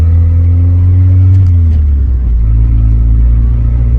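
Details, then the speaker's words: Honda CRX Si on first drive: heavy low exhaust drone rising and falling with throttle, loud from a hole in the muffler awaiting replacement; rear brakes also squeal occasionally. "it is a little loud still because the muffler does have a hole in it"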